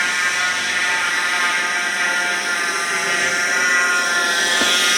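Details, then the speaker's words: Jeep Wrangler JK running with airbox on, stethoscope rod used to isolate the noise: steady high-pitched whine over the engine that does not waver; worn, rough idler pulley bearing. "right, guys, so as you can probably hear, our loud whine noise."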